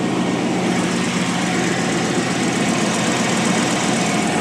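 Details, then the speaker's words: 2002 GMC Sierra 2500HD work truck after new exhaust manifold gaskets and ARP bolts: even, steady idle, quieter, with no exhaust ticking and only a light injector patter; a slight buzz remains, and the owner is unsure whether it is injectors or bolts. "wow it's quieter not ricky ticky tabby all i hear is injectors there that's cool wow and it's running too"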